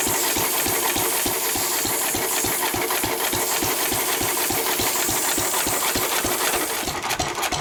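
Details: 1923 3.5 hp Emu (rebadged Hercules) stationary engine, restored early 1980s, first start in 20+ years, after oiling a sticking magneto/exhaust valve linkage: steady evenly spaced exhaust pops over hissing background, no knocks or stumbles; normal hit-and-miss running.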